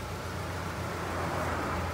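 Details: Nissan NP300 pickup after replacing clutch pressure plate, disc and release bearing: pedal pressed, only soft low engine hum, no chirp, whir or grind; release bearing now quiet, pedal smooth.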